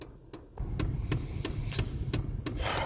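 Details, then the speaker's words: 2004 Pontiac Sunfire, key on, quiet cabin: steady light clicking about three times a second from an HVAC actuator; incidental noise during diagnosis of gauges losing indication and Class 2 network issues. "that noise is annoying HVAC actuator"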